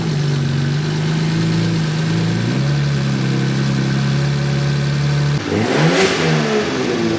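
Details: 1JZ-GTE six-cylinder swapped into an LJ Holden Torana idles with a rough, droning note; a sharp rev blip sounds raspy, coarse and nasty. The mufflers are suspected to be poor, not confirmed.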